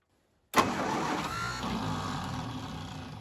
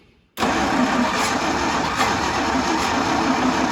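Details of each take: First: 1952 International Harvester L112 with spark confirmed at plugs, more gas given: starter spins the engine steadily for seconds and comes close but never catches or keeps running; cranks without starting. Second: 1952 International Harvester L112 after fitting a new 12 V ignition coil, fed gas and starter fluid: engine catches and runs with a fairly even busy note, stalls briefly, restarts and runs; not yet steady, coil still heating.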